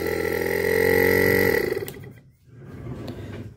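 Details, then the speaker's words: LG no-frost inverter fridge BMG089NHMV (R600a), compressor start: steady, even mid-tone hum for under two seconds, then cuts out. The board signals fine, but the original compressor won't run and throws a code; compressor replacement needed. "ahí accionó el compresor Así que la placa electrónica me está mandando señal al compresor correctamente pero al original no lo mueve sino de que empieza a tirar un código de"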